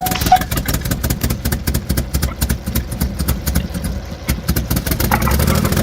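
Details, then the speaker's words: Chevy Traverse 3.6-liter V6 with about 291,000 miles, listed as mechanically damaged salvage, nearly out of fuel: uneven, lumpy pulsing with irregular gaps, running very rough "like it has a hole in the block"; cause unconfirmed. "run this thing runs like it has a hole in the block"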